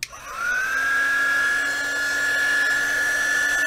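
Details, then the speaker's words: KAIWEETS KEH01 mini heat gun, 220 V, 450 W max, on first power setting: motor spins up quickly to a steady high whine with a faint buzz and slight vibration; fan sounds slightly odd. "лёгкая вибрация шум не такой уж и большой м немного странный звук вентилятора"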